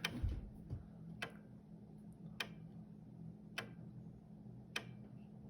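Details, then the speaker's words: Commodore Amiga A1000 powered on for the first time in 25 years, caps inspected beforehand: crisp single floppy drive ticks about every 1.2 seconds over a faint hum while loading, then booted. Normal floppy seek clicking. "Oh, listen. It's trying to load something. It's looking."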